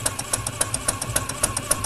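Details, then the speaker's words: PM Research 6CI horizontal steam engine running on compressed air, with the exhaust wrapped in a rag and driving a generator load: even chuffing at about three and a half beats a second with light crisp ticks and no knock; the connecting rod linkage runs quiet. "I've wrapped the exhaust pipe with this rag to quiet down the exhaust so you can hear how quiet the connecting rod linkage is while the engine's running"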